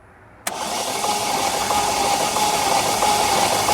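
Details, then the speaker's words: Chevy (stated as 2012 Malibu, titled Cruze) after overheating on the road: starter catches, then fast light flat spin with no compression strokes and slight rattle; no compression in cylinders, engine toast. "Crank it one more time. All right. It's making that sound because there's no compression in these cylinders. This engine is toast."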